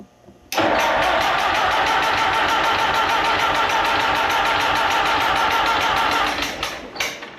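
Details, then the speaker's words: Allis Chalmers M tractor after magneto rebuild, with carburetor, fuel and compression checked: steady fast cranking, about three turns a second, that never catches; weak spark, owner plans conversion to an external coil. "so we're trying to crank it back up there and I'm getting some p but I just don't think I'm getting enough spark"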